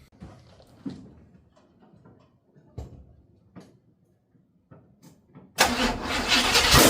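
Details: 1955 Buick Super on 1973 Electra frame, 455 big-block V8, new fuel pump, K-Seal in leaking radiator: clicks then fires, settling into smooth, even idle, no knocks or ticks; temperature steady at 180, no oil gauge yet, healthy.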